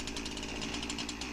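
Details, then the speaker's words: Husqvarna 346XP chainsaw after fitting a less-worn used clutch, chain no longer dragging; fast but uneven buzz with wavering note; air leak suspected around intake boot or base gasket. "saw is still not running right but the chain isn't dragging anymore i got this idea in my head that if i pay and you can see we obviously got a leak somewhere around the intake boot maybe the base gasket"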